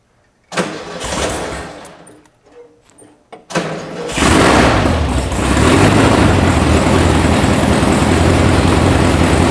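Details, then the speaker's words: VW sand rail buggy (about 1966), air-cooled engine said not to run: cranks, catches and dies, then restarts into a loud, slightly uneven idle, all cylinders firing; rough idle, needs a tune, cause unconfirmed. "Sounds like it needs a tune. Well, I'm confused. It's in here because it doesn't run."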